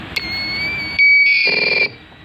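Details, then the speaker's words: New-type electric knapsack sprayer spraying normally but emitting a steady high-pitched squeal from its buzzer; suspected low-battery warning, with battery at about 9.6 V, asking to be recharged. "Oke setelah saya teliti teliti ternyata memang ada buzzernya ya ini ini mas bro yang menimbulkan suara mic ya jadi suara itu dihasilkan dari banjir ini ya"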